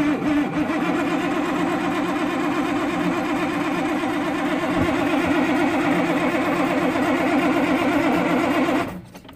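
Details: Freightliner FLD120, 397k miles, first start attempt after 17 years parked; steady starter cranking about four turns a second for nearly nine seconds, never firing, then stops; ether possibly used; cranks but no start.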